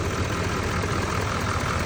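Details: 2017-2019 Chevy L5P Duramax 6.6 diesel warming up at idle after No. 4 injector pigtail replacement and two days sitting, no fuel leaks: steady, even low rumble with no knocks, misses or odd noises, warming normally.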